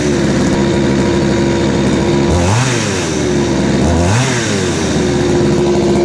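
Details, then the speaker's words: Craftsman 3.7/Poulan 3700 chainsaw with new carburetor and fuel line, after high-speed screw adjustment cured a bog: crisp, steady two-stroke buzz, then two quick clean revs and back down without bogging. It idles well and has good power. "all right so this chainsaw seems like it's running very well now it's starting pretty easy it idles well it has good power"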